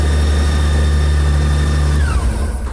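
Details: Honda Gold Wing with no-start fault (no current in four wires; starts when wired directly), now started: steady, smooth low idle for two seconds, then cut and winding down; running sounds healthy.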